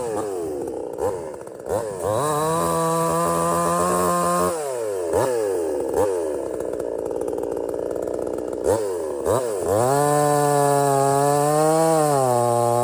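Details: Budget Temu chainsaw shortening a hurricane-felled log, possibly rotted in the middle: screams to full revs, sags as the chain bites, recovers smoothly each time; cuts easily, starts easy and runs strong, normal.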